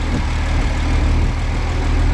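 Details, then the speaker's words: 1970 Chevy C10, stock 250 inline-six, after swapping Rochester Monojet for a 2-barrel Holley carb with new jets and adjusted throttle screw: steady, even idle rumble, no stumble or choking, maybe slight. "I don't hear any stumble or any choking. Maybe a little Maybe a little bit."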